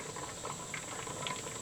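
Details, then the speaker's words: Pressure canner with tomatoes on outdoor LP hotplate, right after heat turned off and jiggler stopped: soft steady bubbling and popping as contents keep boiling inside while pressure comes down; normal. "see the jiggler stop that quick you hear it boiling inside yet and now we just leave it alone for a while the pressure will come down"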